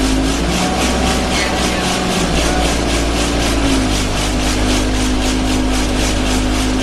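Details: Arriva Yorkshire Alexander Dennis Enviro 200 bus 1065 (YJ09 CVD) on service 283, Bradford to Batley, recorded on board; steady diesel drone with a rhythmic throbbing rattle three to four times a second, loud vibration, source not pinned down.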